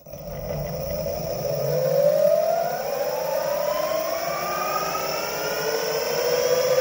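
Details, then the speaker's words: Meepo electric skateboard refitted with BoundMotor direct-drive motors running sensorless through the Meepo controller, wheel spun at low speed: whine climbing in pitch with a gritty, rough undertone and visible wobble; owner suspects bad, very stiff bearings. "and low speed you can hear some of the noise and you and you can see it wobble"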